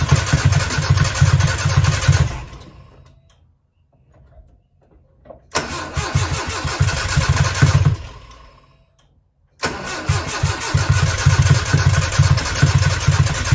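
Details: 1995 Nissan truck, carbureted: steady starter cranking in long bursts that never fires, same even with starter fluid sprayed in carb; new wires, plugs, battery, fuses checked, firing order verified; compression and timing chain unchecked; owner suspects fuel issue. Cranks but no start.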